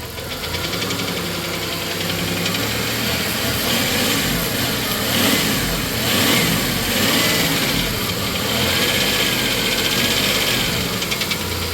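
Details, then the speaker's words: 1993 Plymouth Grand Voyager SE revived after 18 years sitting; light fast ticking over idle fading in and out, located at rear head or lower, not front; worn camshaft tick. "sounds like it's back here you know at the very least it's either on the back head or it's down there definitely not up front"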